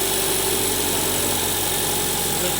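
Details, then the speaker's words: Nissan SR20DET, newly wired harness and ECU, intercooler piping not installed, just started: steady, even high idle with smooth exhaust note, no knocks or ticks; normal high idle, camera exaggerates internal engine noise. "On the camera picks up a lot of noise, but it's for it's here right now, it's quiet, but the camera picks up a lot of internal noise in the motor, so it probably sounds a lot noisier on the video."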